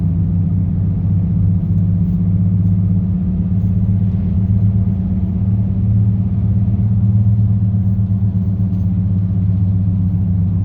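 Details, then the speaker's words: 2018 Nissan Frontier while driving: constant low humming drone over road rumble at cruising speed; owner suspects a bad driver's side wheel hub, with humming and grinding also heard when spinning the tire. "Hopefully the camera can catch that sound, the humming noise, how much humming noise it makes. And I'm pretty sure it's a driver's side wheel hop."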